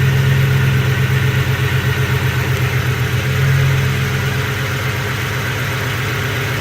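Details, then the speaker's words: 2007 Ford F-150 4.6L 2-valve V8 with check engine light and P0306 cylinder 6 misfire code: lumpy, uneven idle pulse about four beats a second with a dropped beat and the engine shaking, a single-cylinder misfire. "got a engine light and the code is a cylinder six misfire definitely feel the motor shaking and it's not happy at all"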